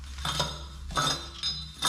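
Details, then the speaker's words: DeLorean exhaust dropped and catalytic converter shaken: four bursts of loose clinking rattle as broken honeycomb substrate shifts inside the can; disintegrated cat caused the exhaust rattle, replaced with new cat. "Apparently, the honeycomb broke apart somehow, and that was the rattling sound I was hearing."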